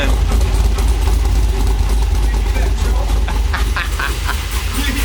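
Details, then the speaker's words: 1978 C3 Corvette with a 2001 Holden SS Commodore LS1 swap, first start after a misplaced crank sensor plug was corrected: a deep rumbling idle with an uneven chop about three beats a second; a normal big-cam lope. "hear that chop? That's unreal! Oh!"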